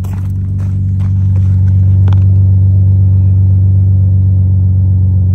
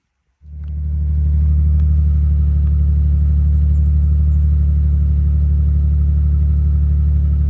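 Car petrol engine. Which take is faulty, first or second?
second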